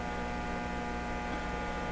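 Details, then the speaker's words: Hallicrafters TW2000 World Wide valve radio under repair: listening directly to the heater supply gives a constant low hum with stacked buzzy tones; both heater and B+ supplies carry mains hum, which is not volume sensitive. "So we hear it there too. Let me turn this up a bit so you can really. So one of these supplies is really hummy."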